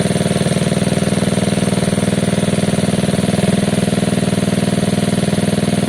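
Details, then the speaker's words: Gilera DNA 125cc scooter with upgraded carb, idling while the air-fuel screw is turned out half a turn: steady, even putter holding the same pace; idle speed unchanged by the mixture screw. "I don't think they did. I'm going to go another half."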